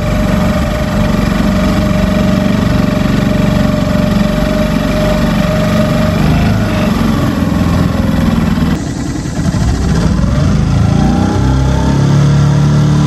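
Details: New Hangkai 6.5 hp four-stroke single-cylinder outboard on a 10-foot jon boat: steady, even, unbroken drone under load with water and wind noise; running normally.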